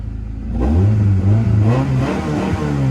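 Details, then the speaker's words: Honda Accord after fixing the dead cylinder so all four now fire: engine catches and revs cleanly, pitch rising and falling smoothly with throttle, no stumble or knock; steady perfect idle, nothing shaking. "Holy crap, that thing runs a crap ton better. Steady idle too, nothing is shaking on this car."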